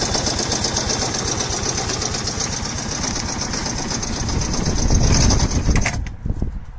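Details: Yamaha SR 125 single-cylinder motorcycle with 63,000 km, running steady with a quick, fairly even deep knock about four per second over the exhaust beat; owner suspects the connecting rod, cause unconfirmed.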